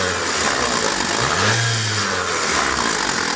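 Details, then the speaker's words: JAC J6 2.0 16-valve engine at about 84,000 km, timing belt likely never changed, heard at the timing belt area: rough whirring rattle rising and falling with a short rev, belt visibly jumping; worn timing belt tensioner bearing, fix is a timing belt kit. "eu vou dar uma acelerada aqui para você ver ó ó a região barulho bem chato você está ouvindo vídeo aí mas é bem chata e aparenta estou aqui na correia dentada tá provavelmente os rolamentos aí já foram"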